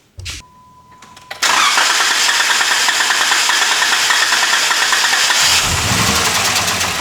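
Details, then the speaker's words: Jeep after lower intake manifold replacement, chasing a cylinder 3 misfire, P0300 code, strong fuel smell; starter whirs, engine catches and runs with an uneven, stumbling beat and rough idle, like cylinders cutting in and out. "It really sounds bad. Um I did just see on the OBD-II scanner that I'm getting a P0300 error code."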